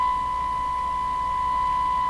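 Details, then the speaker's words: Hallicrafters TW2000 tube receiver on the broadcast band during alignment; a steady 1 kHz test tone carries a rough, low 60-cycle hum modulation. "It sounds like it has a hum modulation in the 60 cycle hum modulating the sound. That's what it sounds like."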